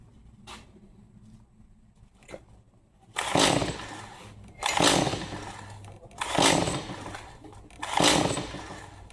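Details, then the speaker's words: Stihl MS 180 C chainsaw brought in as won't start, after fuel dump and fresh gas: four rasping pull-cord strokes about every 1.5 seconds, no firing; cranks but won't start, spark and spark arrester still to check. "Let's try to pull it some more times and kind of see what happens. After that, we'll have to diagnose it a little bit further."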